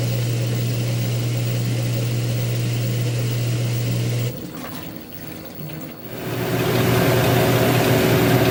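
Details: LG WM2801HWA direct-drive washer after replacing the rotor position sensor: steady low drum-motor hum, brief dip mid-cycle, then picks back up smoothly; runs clean with no knocks.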